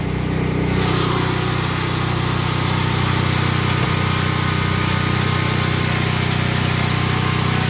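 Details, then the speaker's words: Predator 8750 generator running inside a ventilated plywood shed after over two years of use, full tank of gas, exhaust fan on: steady, even drone, constant pitch, no surging, misfire or rattle; shed muffles some noise; normal running. "This shed does a lot of help with the noise cancellation. I mean, it's not completely making it quiet, but it is helping reduce some of that noise."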